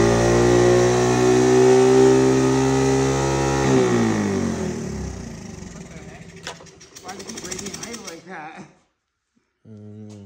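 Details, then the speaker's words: 1985 Honda ATC 110 single-cylinder, after the right fuel: fast idle holds high, then sags and fades unevenly, wanting to run away. The idle screw does nothing; intake air leak causing unstable idle. "I don't like it like to run away that's weird the idle isn't doing anything"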